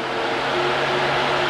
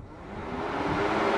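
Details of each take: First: Old electric backup cooling fan/AC condenser fan from a 2009–2018 Ram 1500 5.7 Hemi, bench-powered with test leads off the battery: steady whirring hum with low drone, no grinding; it needed tapping to start, weak fan motor. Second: 2009–2018 Ram 1500 5.7 Hemi, new electric backup/AC condenser fan powered directly through jumper leads at its plug: strong, even airy whoosh with a steady hum building as it spins up; fan good, the fault lies elsewhere.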